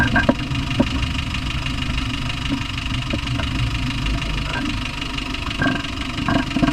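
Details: Land Rover Discovery 1 300Tdi diesel at idle: deep rumble with sharp, uneven knocks standing out every second or so; cause unknown.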